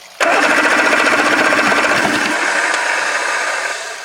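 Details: 1984 Grady White Overnighter 20 outboard with three two-barrel carbs, mounted and tested on water supply: starter whirs in a steady churning rhythm of about four compressions a second but never fires, then winds down; fuel distribution block leaking. Cranks but won't start.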